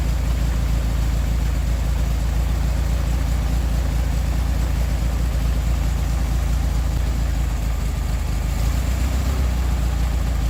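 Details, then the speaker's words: 1969 VW Beetle air-cooled flat-four with Solex downdraft carburetor, after replacing bad condenser and modified coil (unsure which was faulty): deep even idle rumble, steady beat, no stumbles or misses; best since overhaul, normal idle. "Well, we got our bug got the bug running good. We found a uh a bad uh cap or capacitor and uh and uh we in the coil."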